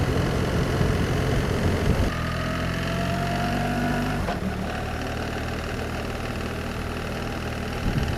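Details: BMW R1300 GS Adventure boxer twin at idle: light, uneven ticking clatter over the engine note; owner suspects the tappets need adjusting and are hitting the outer casing; source unclear; engine clatter at idle.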